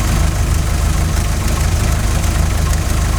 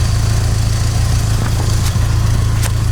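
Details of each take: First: 16-valve Mk2 Golf GTI, idle screw set to 950 rpm, CO mixture at 0.7% versus 2% spec after MOT emissions failure: low idle lumping and wandering, dipping midway then recovering unevenly, engine rocking; lean rough idle before CO adjustment. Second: 16-valve Mk2 Golf GTI, after raising CO mixture from 0.7% toward 2% with idle around 950 rpm: low even idle hum with steady pulse, no hunting or stumbling; normal clean idle after adjustment.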